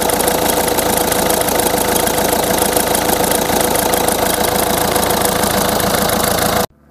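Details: 2006 Peugeot 207 1.6 HDi 110 hp diesel, 170,000 km, original accessory belt, cold start at idle: clattering with a thin steady squeal; noise when cold suspected from the accessory belt idler pulley bearing, belt and idler replaced.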